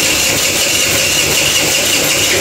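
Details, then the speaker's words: Kuba Valentino 50cc two-stroke scooter, top speed dropped from 70-80 to 50-60 km/h: harsh, dry scraping rasp over the engine buzz; not from crank or chain but loose stator screws rubbing inside the flywheel. "Bakın bu sesin tespih ğini de yaptık bu ses kranktan gelmiyor zincirden de gelmiyor"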